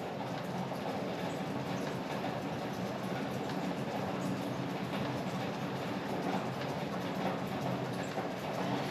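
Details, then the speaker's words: Stuck MerCruiser 3.0L marine engine after head gasket replaced, given gasoline: steady even cranking that never catches, engine flooded; owner also suspects a manifold leak and a cylinder down on compression. "well it's definitely flooded now see if it'll start"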